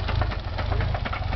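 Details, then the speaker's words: Nissan 300ZX twin turbo at idle: low, uneven idle with dull repeating knocking thuds, engine hesitating and barely staying running; owner suspects a bearing. "You can clearly hear it's could be a bearing."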